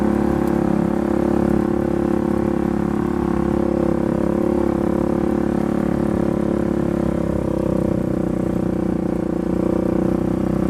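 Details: Polaris 570 ACE engine after a full rebuild for a knock from a dropped crank and rod: new crank, valves, high-compression parts; first runtime. Smooth, steady fast beat, no knocking, ticking or rattle; normal running.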